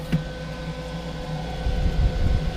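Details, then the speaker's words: Homemade R600a condensing unit in a Budweiser drink cooler, two-speed evaporator fan running at full 12 V speed. Steady, even low hum with a soft constant airflow rush and no rattle or ticking; the fan runs cleanly. "and now this is on full speed 12 volt for full effectiveness for cooling the inside of the cabin"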